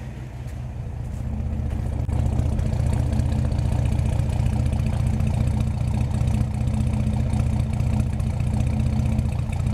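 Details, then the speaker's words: 1949 Chevy 3100 with Pertronix Flamethrower distributor, timing 12° BTDC, idle set to 600 rpm: low throaty uneven lope about 2.5 pulses a second; 600 rpm too low, raised back to 650. "600 rpm is too low i had to up it back up to 650. it's amazing the difference 50 rpm does but unfortunately it's just too much of a lope you feel it in the truck"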